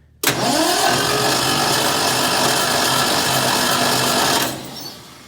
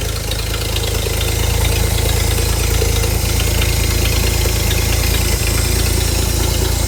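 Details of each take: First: Ford inline-six in a Hobart ground power unit with points ignition, sitting 8+ years: starter spins the engine evenly for about four seconds with no firing, so it isn't seized. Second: Hobart APU cart with a Ford inline six, sat 8+ years, after a new fuel line was run: a steady, even low rumble with no misses, knocks or surging, running normally.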